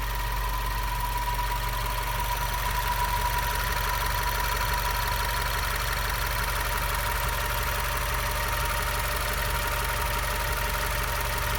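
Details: Subaru WRX idling: a thin, steady high whine sits clearly on top of a smooth petrol engine idle.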